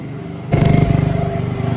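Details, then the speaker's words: Polaris ATV single-cylinder engine after carburettor cleaning: catches and settles into a quick, steady idle set slightly high; earlier it ran poorly once warm. "We got the fuel lock. As you can hear it idling a little high, my son was riding it yesterday and it got warm and started not liking it."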